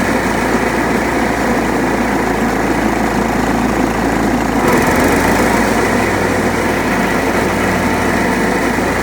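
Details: John Deere STX38 mower, parked about nine or ten years, revived with new battery and freed stuck carburetor float: even idle, note shifting slightly as deck engages, no stumbling or surging.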